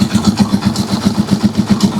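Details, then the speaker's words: Rusi Chariot trike single-cylinder engine after fixes for hard morning starting, which is blamed on the carburetor on newer units: a steady, even idle of about six pulses a second, quiet and smooth with no misses. Normal idle. "Okay, yan, tahimik na yung ating engine. Napaka-tining na."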